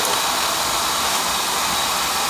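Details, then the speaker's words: Residential oil-fired boiler burner on an annual service after a bad nozzle was replaced with a new one, now running much better. Steady even roaring rush with no pulsing or sputter: the burner is firing cleanly and smoothly. "put a new one on that's running better now"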